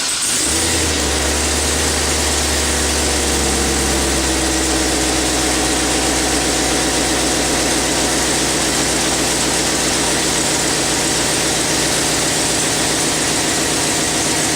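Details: Chevy Silverado 6.0 V8 idling while coolant is burped after a water pump replacement: a fast, sharp puffing tick over the engine note. The owner suspects an exhaust manifold leak.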